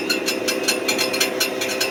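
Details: 2023 Ford F-150, brand new with 400 miles, idling: sharp, high, tinny metallic rattle-ticks about five per second from near the transmission, described as clicking, clanking, rattling noise; cause unknown.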